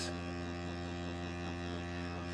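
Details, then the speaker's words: DeWalt 20V MAX Grabo suction lifter on plywood: unbroken pump motor hum, never cycling off, reaching only 5.3 PSI versus over 12; wood grain leaks air past the seal, pump running continuously. "now you'll notice something here the pump is still running it's at a 5.3 PSI so obviously we've got grains in this wood it's not pulling a perfect vacuum and sealing all the way around the ring"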